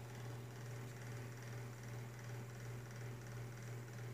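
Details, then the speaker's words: Galaxy (Lasko) 9-inch oscillating two-speed desk fan, 3rd-generation, about 1993, on low speed: quiet fan hum with faint light clicking; blade out of balance and rattles on high, probably needs oil. "making that clicking noise and check the spin down if obviously the spin probably needs oil"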